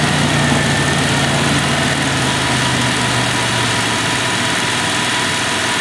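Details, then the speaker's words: 1996 Dodge Dakota 3.9L V6 idling after new fan clutch installed; fan roar eases off as the clutch slips at about 83°F intake air, then steady even idle; normal idle with fan clutch disengaged. "We're ready for the road test, but we heard that fan clearly kick off, and as you can see, the air temp's about 83 degrees coming through. It should slip."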